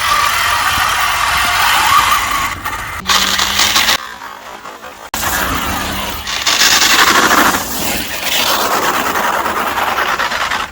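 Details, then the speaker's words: 1/7-scale Arrma Mojave RC car, just overhauled after over a year off the road: a rough grinding whir with a squeal that surges and drops with throttle; the drivetrain sounds unhealthy, motor or another part suspected, cause unknown. "definitely not standing healthy now, so I think we need to try and figure out what's up with it, whether it's the motor or what it is, but it's not sounding the healthiest, is it?"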